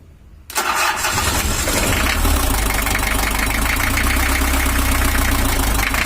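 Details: 1982 Toyota Hiace LH11 diesel with an 82 gear and 83 round-timing-belt camshaft, cam set by valve top timing: catches and settles into a lumpy, uneven idle with irregular knock; pump timing still off and needs moving a tooth.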